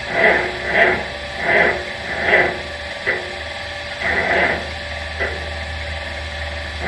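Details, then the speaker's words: 1950 Farmall C tractor, not run recently, cranking at 10°F in January snow: slow, labored cranking in uneven surges about once a second; it groans over but never fires. Cold no-start, blamed on the cold. "I'm sorry to say, this video is what's going to be called a cold no start. So, oh well, we tried. But like I said, it's awful cold out here."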